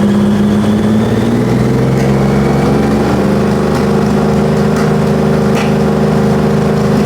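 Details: 2000 Honda GL1500C Valkyrie with aftermarket exhaust and crossover pipe, revving: a rising drone with scattered sharp exhaust pops about every second, louder from the left side; lean backfire, with a possible exhaust leak also suspected.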